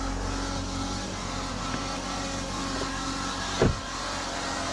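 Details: 2019 Chevy Cruze 1.4 turbo at 70,000 miles, engine running: a steady mid-pitched whine from the transmission area, not the suspected purge valve; no fluid under the car, it shifts a little weird, and low transmission fluid is suspected.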